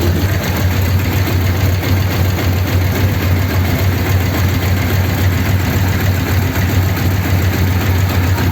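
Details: 1932 Ford sedan idling after a fix for a problem on the way home from the Old Ford Rally, with roughly a litre refilled, started to check for leaks: smooth, steady low burble, no ticking, knocking or hunting; healthy idle, looks all right.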